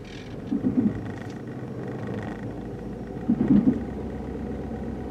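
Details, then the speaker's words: About 2006 Chevrolet 1500 V8 with check engine light, in drive and power-braked: steady drone then lumpy stumbles, definitely skipping; a misfire under load, possibly a totally dead cylinder. "so we'll fire it up here she's definitely skipping let's put it in drive"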